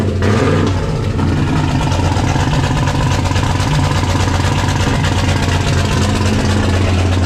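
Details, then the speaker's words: 1995 Dodge 5.9 Magnum V8 in 1951 Dodge one-ton dually, first start after Comp Cams 20-746-9 cam and 60 lb injectors install: loud lumpy choppy idle, two cylinders on one side seem not firing; plug wires on that side suspected bad/broken. "yeah i don't think we've got all the cylinders here all right that's what there's two cylinders over there that seem like they're not firing"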